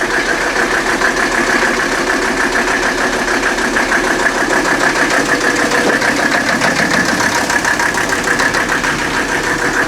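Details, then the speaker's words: 1984 Mercedes-Benz 300D turbo diesel, formerly seized, just started: loud clattering idle with a hard uneven knock about three times a second, engine running rough and shaking badly; it does not shut off with the key. "She's loud though. I don't know if the camera picks up how much this thing's shaking right now."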